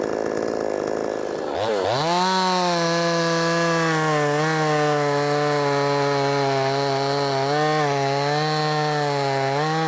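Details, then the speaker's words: Brand-new, unbroken-in Wemars 6220 clone chainsaw on shakedown run: pull-start, then strong steady high buzz dipping slightly and recovering through each cut; loud, powerful, revs good; normal running under load. "And I guess what I mean by it sounds good, it sounds like it's going to be powerful. Rev's good."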